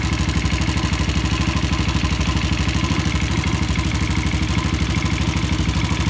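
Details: Yamaha Jupiter Z idling: loud, hard evenly paced tapping about three knocks a second; cause found to be a worn, loose connecting rod, fixed by replacing the rod, with original crankshaft bearings advised.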